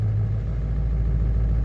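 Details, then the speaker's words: Ford 7.3 Powerstroke diesel on a cold morning after a new glow plug relay and reconnecting the glow plug harness inside the head: steady, low, even idle with no knock or miss. Sounds healthy; battery voltage slightly low but within range, oil pressure normal. "um yeah so this one this one sounds pretty healthy considering that voltage on the batter is a little concerning"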